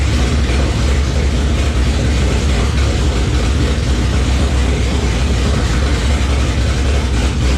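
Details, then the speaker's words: Freshly rebuilt engine's first run since October 2019, coolant warming from 170 toward 194°F: deep, steady rumble at even idle, no knocks or misses; smoothing out, normal idle. "Stalled it out, but she's running. Sounding pretty good. Smoothing out."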